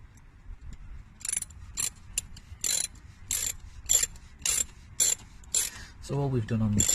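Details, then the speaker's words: Morris Minor under restoration, wipers working after the stuck wiper bar through the dashboard was freed: crisp ratcheting clicks about twice a second at a steady pace. Wiper drive sweeps freely with no binding. "so we've had these new window wiping out got the windy wipers working"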